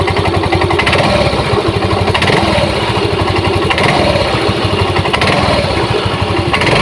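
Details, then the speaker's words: Yamaha Mio M3 scooter with a weak battery, idling with a harsh, uneven rapid ticking rattle over the engine note. It is rougher at idle and when starting to throttle, and is traced to a worn CVT part. "suaranya oke suaranya kayak gitu teman-teman ya Gitu ya jadi gak terlalu keras juga enggak tapi cenderung lebih kerasnya itu Posisi lagi Tensioner ya posisi langsam itu suara suaranya cenderung lebih Kasar banget"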